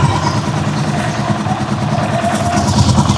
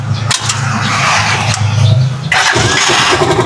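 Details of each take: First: Rusi Chariot 175 single-cylinder at idle on Bajaj RE oil: quick, crisp, steady beat with no knocks or rattles; clear, healthy idle. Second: Rusi Chariot 175 on ordinary motor-shop oil: catches, then idles low and uneven with a sagging, stumbling beat, nearly stalling; owner attributes the difference to the oil, unconfirmed.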